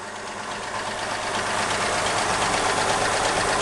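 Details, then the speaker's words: 1960 Ford 223 inline-six truck on a cold morning start, after torquing the rocker cover bolts: steady idle, lifter tick gone, only a soft, even valve clatter left. "it still makes a little bit of noise but that's the uh that's the valves"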